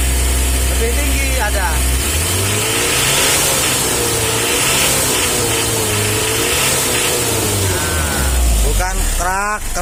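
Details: Mitsubishi L300 diesel driving after a tune-up: an even, steady diesel note under way with no strain, mostly fan whir with music in the background. The engine runs quieter and smoother, with better pull.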